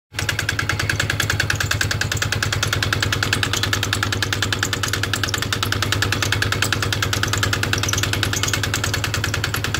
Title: Polaris Sportsman X2 EFI 2007, knocking sound when cold (-12C)